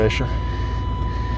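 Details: Used Chevy Tahoe just started, no smoke and good oil pressure: heavy, raw, loud low-rumble idle; catalytic converter has been removed and owner suspects an exhaust leak, unconfirmed.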